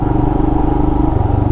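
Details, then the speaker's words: 2020 Royal Enfield Himalayan single-cylinder riding off-road fire roads, mic inside helmet: steady thumping with a light regular tick on each beat; engine ticking, rider unsure if normal, source not pinned down. "I'm trying to listen to that ticking sound."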